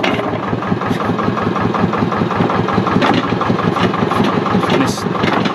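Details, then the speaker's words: Thwaites Tusker with hydraulics using 2.2 mm drilled fittings and a check valve: at engine tickover, a soft hiss as the bucket lowers slowly and evenly. Controlled, healthy descent. "just look out nice too controlled you can hear that hissing sound that buckets coming down"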